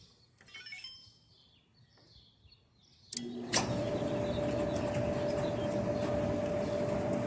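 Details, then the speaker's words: Kenmore Elite gas dryer after repair, previously squealing when loaded with clothes: drum settles into even rumble with faint steady hum and no squeal; a drum roller had been out of place and was fixed. "pues parece que nos quedó bien el trabajo amigos este se soluciona el problema"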